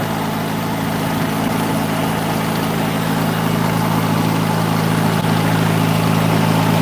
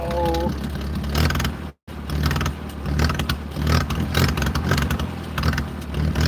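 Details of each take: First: 1940s wood splitter with International Cub engine, started after about 40 minutes, main jet adjusted; steady low drone with even firing beat about four a second, idling smoothly without stumbling. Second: 1940s wood splitter with International Cub engine on a cheap replacement carburetor, cold start around 50s°F: low, uneven chugging with a brief stumble that nearly cuts out while the choke is finessed until warm.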